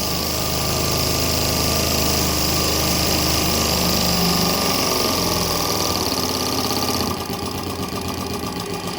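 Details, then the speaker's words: Very old JMC 5 cc live-steam engine with flat slide valves and Stephenson link gear, tested after adjustments at about 3 bar. Fast, even exhaust beats of about three to four a second with a steady hiss; runs smoothly and sounds healthy. "Bon, en tout cas, vous remarquerez que le bébé... à l'oreille, écoutez-le déjà."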